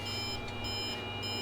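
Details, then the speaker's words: Kyocera FS3820N laser printer, previously getting splodged printouts, after an elastic band was looped to a rear peg as a fix: short high clean beeps in quick repeating bursts, the top-tray-full sensor warning, and the printer stops feeding. "Top tray full. Ah, that's a sensor to tell you that it's full."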